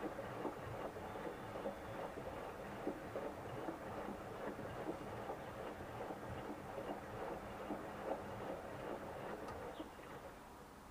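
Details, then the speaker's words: 7-year-old Siemens front-loading washer on a spin-only cycle at high speed, checked for bearing noise before disassembly: a quiet, steady hum with soft, even thumps as the drum turns. No abnormal bearing noise. "好了，现在洗衣机开始上高速了。主要是听一下这个轴承有没有异响之类的啊。没有问题，我们就可以断电断水，然后把机器拉出来开始拆。"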